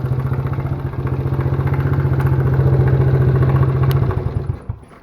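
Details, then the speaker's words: Worn, smoking mini quad ATV single-cylinder with new battery: idling with light even knock on each firing beat about three to four a second, then shuts off; source unclear, owner hopes not rod knock. "it's got an interesting sound to it almost sounds like it's knocking a little bit yeah you have a sound that is a weird sound I don't know what that could be hopefully it's not like rod knock or"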